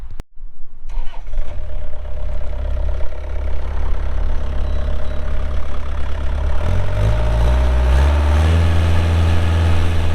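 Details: Start of a 2008 Bobcat 430 excavator's pre-emissions Kubota diesel, 2,361 hours: starter cranks briefly, engine catches quickly and settles into a steady, even, low idle with no knocks or misses; normal.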